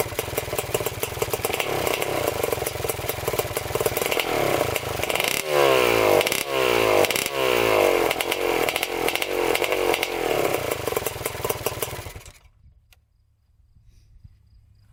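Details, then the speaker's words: 1987 Kawasaki Tecate 4 250cc two-stroke quad, first start without air box, pipe or silencer fitted: open, raspy, uneven blubbery beat that won't clean up, then dies; running rich. "So she runs, definitely running rich for sure."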